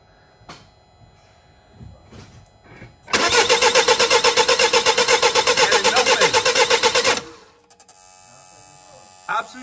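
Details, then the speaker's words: 2008 Mini Clubman R55 1.6 diesel W40D16, parked 2 years: steady cranking about four compressions a second, never catching; mechanical gauge not moving, valve buzzing; high-pressure fuel pump not producing pressure. "it's not even moving and the thing is buzzing so it's trying to give it more fuel"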